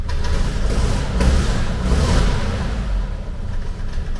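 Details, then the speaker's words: 1970s VW Type 2 Camper engine that won't idle properly, is sluggish and down on power: just after starting, a low lumpy idle swells and sags unevenly. Rough idle; a separate starter engagement issue is also noted. "it'll probably work now wait until you see nope oh oh that's not sounding nice"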